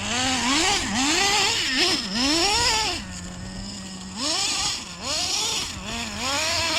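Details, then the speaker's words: Used Traxxas Slayer nitro RC truck, cleaned and fired up for the first time in years, warmed up a little: high buzzy engine blips up and down and settles to a steady idle between, clean throttle response, running pretty good. "Anyway, guys, sounds like she's at least running pretty good."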